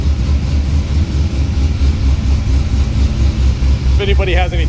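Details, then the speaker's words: C6 Corvette Z06 with Akrapovic catback, cold start after sitting a few days, chilly morning: loud deep idle loping unevenly with irregular dips, car shaking; owner suspects misfire, maybe bad spark plug or plug wire. "i don't know sounds like the car's missing or something i don't know it kind of chops around sometimes maybe a bad spark plug mad wire who knows"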